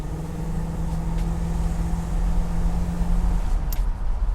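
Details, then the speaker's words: 1965 Buick Riviera Grand Sport, 425ci dual quads, 90,675 miles, serviced: deep roar under throttle accelerating to 55 mph, rising surge as secondary carb opens; healthy acceleration. "pretty peppy that was to 55 miles an hour we'll test it out again you can hear the secondary carb open up when you give it gas"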